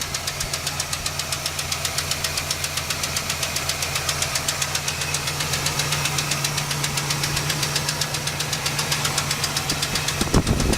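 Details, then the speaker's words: Valvetrain ticking at idle: steady sharp tick about four per second from the upper passenger side of the engine, toward the back, after a hard rev; heard after an oil change with detergent added to the oil; likely a broken pushrod. "but now you're gonna hear a clicking noise from the top part of the motor on the passenger side I think"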